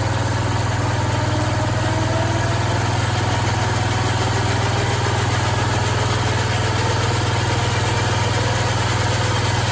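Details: Free, long-unused Bolens garden tractor with a rebuilt Kohler 16 hp engine, after work on an oil leak; low, steady idle thump about 2.5 beats a second, even and smooth with no knocks or rattles.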